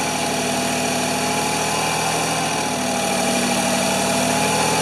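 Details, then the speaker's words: Ford 2600 tractor being cranked: steady loud churning at about 200 beats a minute with no catch; compression is low, one cylinder near zero, worn rings suspected and oil added to temporarily seal them. "so i don't know if it's going to stay running or not or stay that high or not or if it'll run we're going to try to crank it see if it'll start"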